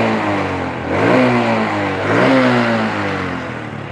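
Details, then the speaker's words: Supra motorcycle from Cilacap that lacked power and topped out at 100 km/h, after adjustment: revs rise and fall smoothly with no knocking, slightly loud exhaust from a leaking muffler; engine sounds healthy. "ini kalau jalan rasanya sudah tidak ada suara Goro godok kodok gitu bro"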